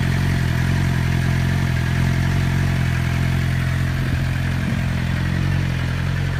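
Motorcycle engine running steady with a deep even thrum, no whine and no chain rattle on top; sounds healthy.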